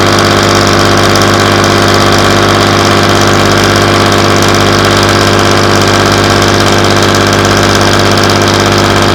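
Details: Class 117 DMU 51412 diesel, first start in 5 years after bleeding fuel air via the hand lift pump: steady, even rumble at low idle of about 500 rpm, smooth continuous throb, no knocks or misses; healthy.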